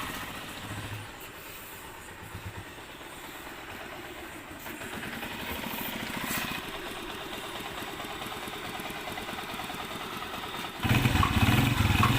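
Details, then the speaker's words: Honda CG125 after repair, also checked from the magneto side. A dangerous noise had been heard, but the cause was a broken support that was welded back. An even idle thump, about 210 beats a minute, with no top-end tapping: now quiet. "ٹھیک ہے دوستو, بالکل گاڑی ہماری جو ہے وہ sound proof ہو گئی ہے, سن ہو گئی ہے, کوئی آواز نہیں ہے کسی قسم کی."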